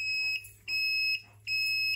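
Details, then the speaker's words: APC mini chopper, garage-sale find being revived, key on with 12 volts on battery gauge: switching on the blinkers plays a clear high beep repeating steadily, about a third of a second on and off; normal turn-signal reminder tone. "blinkers oh what the hell was are you kidding me it plays a tone when your blinker"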